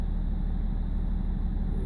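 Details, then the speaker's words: BMW E46 330d M Sport diesel, rough lumpy idle; during an INPA injector test the engine judders around 1500 rpm with an uneven shuddering pulse; INPA points to cylinder 6 injector needing replacement, also 1, 2, 4 flagged. "juddering now. It's weird."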